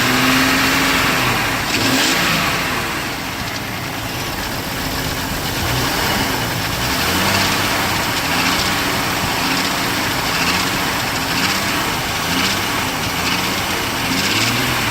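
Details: 1998 Jeep TJ Wrangler with a 4.7L Summit Racing stroker, reportedly 50k miles, pistons replaced but not wrist pins: revved repeatedly with a rattly metallic clatter over the engine note; owner suspects wrist pin or piston slap, cause undetermined.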